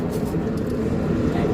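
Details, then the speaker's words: Mercedes-Benz 1721 bus with a rear differential roar that is worse above 60 km/h: a deep, steady growling hum from the differential. "eu não sei se aperceptivo para vocês mas o roncado aumentar"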